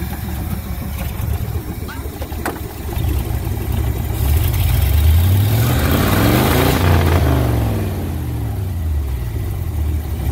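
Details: 1969 Ford C700 truck, 330ci V8, cold start after nearly nine months sitting, after fixing poor cables: slow labored cranking, fires, revs up then drops to a steady lumpy idle, air compressor building pressure: normal cold start.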